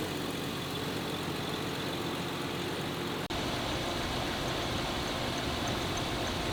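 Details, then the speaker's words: 1995 Jeep Cherokee XJ after JeepCables Big 7 wiring upgrade and high-output JS alternator install; steady, even idle with no sagging or stumbling; previously idle RPMs dropped and engine stalled, now runs normally. "Before at idle, the RPMs would just drop and the engine would feel dead, but now it's like super alive and it doesn't die on me because it's actually turned off before."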